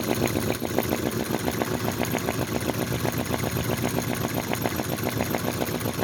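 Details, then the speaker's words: Unbranded 90-degree V-twin vacuum (flame-licker) model engine with computer heat sinks: soft, even puffing at about 3.7 beats/s, steady with no knocks. Slow for this engine, whose speed depends on flame size and proximity to the intake; normal slow running. "now that's um slow for this engine I can get it running much faster it possibly will start to run a bit faster as that"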